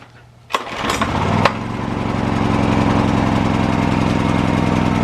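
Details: Old Honda generator salvaged from the dump, first start after teardown and repair: pulls over with a few sharp cranks, then settles into a steady, even single-cylinder chug with no misses; running healthy.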